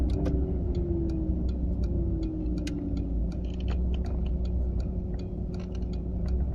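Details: A 940 at about 30 to 40 mph: sharp light ticks, about three per second, sit over quiet low road rumble from the passenger side; the cause is not yet pinned down.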